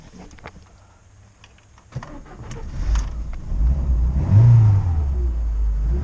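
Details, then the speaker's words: Lada Niva, engine start and idle after drive belt replacement (spark plugs also changed); previously shrieked loudly from a worn belt missing teeth. Engine cranks, catches and settles into a steady low idle with no belt squeal, healthy. "I don't hear anything schriiieeeking! Let's take a look outside Let's look if he turns nice"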